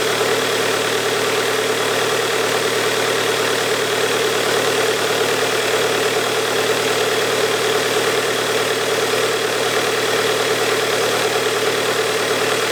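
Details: Bobcat with Kubota diesel after high-pressure fuel pump repair, fuel primed, new filter fitted, started by shorting the starter wire: even diesel clatter at steady idle, no misses or knocks. Normal diesel idle.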